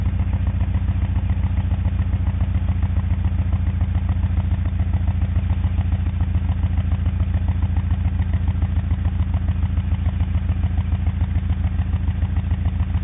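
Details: 1991 Honda Accord idling: low, lumpy, uneven beat of about three to four pulses a second. Owner suspects an ignition problem or a bad tank of gas (began a day after filling up), possibly both.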